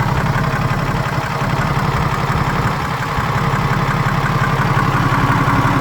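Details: BMW N57 diesel engine, crankshaft and conrod bearings, timing chain, belt tensioner and idler pulley all new; coarse even knock about three per second over idle clatter, only at idle, appears and disappears suddenly; source unknown.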